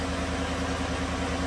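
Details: 2017 GM truck 5.3 V8 after pushrod replacement and electronic AFM delete, idle: even, steady smooth low burble with no stumbles, knocks or ticks; misfire data shows essentially none, running cleanly.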